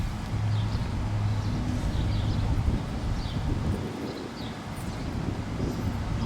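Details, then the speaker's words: 1960 Edsel Ranger 2-door hardtop, 292 CI V8, automatic, dual exhaust, just fired right up: low, even burble with a nice rumble and no knocks or misses. Normal idle. "The dual exhaust got a nice little rumble to it."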